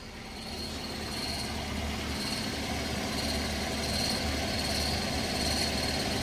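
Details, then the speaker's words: Toyota Avanza at idle before a test drive: a thin high squeak that comes and goes and changes as the clutch pedal is pressed or released, typical of a worn clutch release bearing. "Nah, ini sebelum kita tes drive, kita juga suara dengar suara krik engkrik engkrik ngrik itu biasanya dari bearing kopling."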